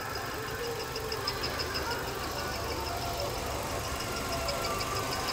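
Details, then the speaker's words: Imported used Hyundai Tucson, automatic, engine idling: a soft, even hum with some light high chatter and no knocks or misses; the engine runs smooth and healthy. "Máy nổ rất êm luôn hầu như chỉ nghe tiếng ồn ào bên ngoài thôi còn con xe này máy nổ êm các bác nhá"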